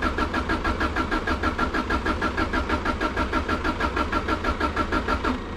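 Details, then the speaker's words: Subaru Impreza that had been sitting, won't start: even starter churning about three beats a second for over five seconds, never catching; plug wires brittle, owner suspects spark plugs or coil, may be flooding it, unconfirmed. "the projects problems have already started it's not even firing up now so we're gonna have to change spark plugs i think"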